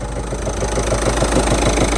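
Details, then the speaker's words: Citroën Jumpy 1.5 turbo diesel running with heavy rhythmic knocking thump and strong engine shake; found off-centre clutch pressure plate and faulty bearing after gearbox removal. "Olha o barulho que teminha. Tão forte, né, pessoal? Batido. Olha que batido."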